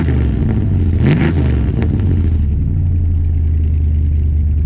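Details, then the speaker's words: RV after new fuel pump and new exhaust system: deep throaty rumble swelling as throttle is blipped, then settling to a smooth steady idle; exhaust sounds healthy. "i like i really do like the sound of it it's got that nice throaty sound so i'm gonna go give it a little gas so you can hear it"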